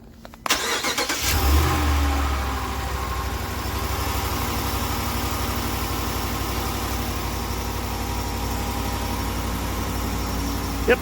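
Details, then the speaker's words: 2019+ Ram 1500 5.7 Hemi, cold start after both cracked exhaust manifolds were replaced: the engine cranks, catches and settles into an even cold idle with no ticking over the exhaust rumble; normal cold idle after repair. "all right we have new manifolds it's cold let's see how she sounds"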